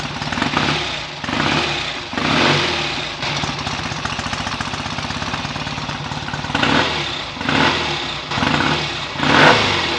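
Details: BSA A65 twin on its first run after a full rebuild, smoky from about 1.5 pints of oil poured into the crankcases. It fires and holds a lumpy idle, then picks up cleanly through several throttle blips; ignition timing may need adjusting. Normal running.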